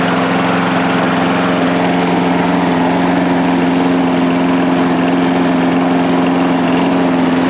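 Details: 1998 Murray 3-in-1 mower, a trash find with its manual throttle control removed, started after a couple of primes with the spark plug reconnected: a steady, even single-cylinder drone at constant pitch with no hunting or misses. It runs healthy.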